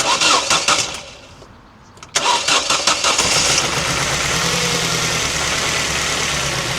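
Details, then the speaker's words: £380 Ford Transit Connect camper van starts, then settles into a rough, uneven idle like a lawnmower but worse, a terrible misfire with an odd burning smell like a blown-out candle. "It sounds absolutely terrible. It sounds like a lawnmower, but worse."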